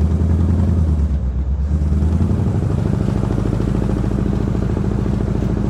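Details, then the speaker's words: 1963 Impala SS with non-original V8, plugs gapped at 35, timing set just above the mark: deep even V8 burble holding steady idle with no popping, misses or backfiring; runs smooth and healthy. "the timing I just set it just a little bit above the mark not a whole lot right and it just it sounds good and it's not not backfiring or anything which I'm glad that's what I'm trying to shoot for"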